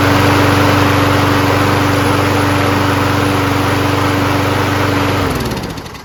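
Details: Craftsman self-propelled mower with 6.5HP Briggs & Stratton Quantum single-cylinder engine, after carb clean, float bowl checked for fuel leak (owner suspects earlier flooding from over-priming): steady, even beat at governed speed about five seconds, then shut off and coasts down.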